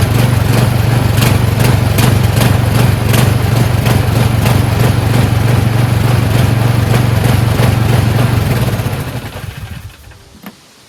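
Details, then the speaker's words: Husqvarna snowblower, newly fueled, started after a couple of pulls: steady single-cylinder thump at an even pace, no misses or knocks, then winds down smoothly; runs fine. "Alright, fired up after a couple pulls."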